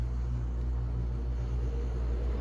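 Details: Air conditioner switched on remotely through a DEWENWILS 40A WiFi timer switch: a steady, even, low hum with no rattles, buzzing or surging; running normally.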